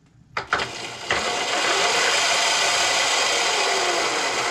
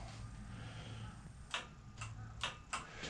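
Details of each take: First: Razor E300 electric scooter fitted with a new 36 V 800 W brushed controller and larger 36 V motor: spins up within a second to a steady, even high whir with no grinding or knocking; healthy, though owner finds it weaker than expected. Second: Roadside Razor E300 scooter, original rusted 24 V motor and chain run on 36 V: sharp irregular clicks over a low hum as the motor strains, too slow and no torque; seized, jammed motor.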